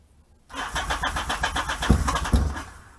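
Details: 1978 Yamaha XS750 Special, first start attempt after 22-day revival, fuel and choke on; starter churns about four strokes a second for two seconds with few uneven puffs but never catches.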